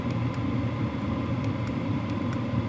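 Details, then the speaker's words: WIPPRO diesel heater raised from power level 3 to 7, output very hot: steady low whoosh as the fan ramps up, with no fuel-pump ticking. Normal running. "Level 7, lots of power. My shirt is billowing. You can hear that fan ramping up, and it's super hot. Still no ticking."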